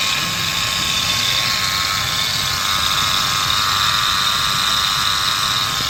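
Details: Ford F-150 5.0 L V8 at idle: constant harsh, high gritty grinding rides over the steady idle without easing. Something in the engine area is grinding.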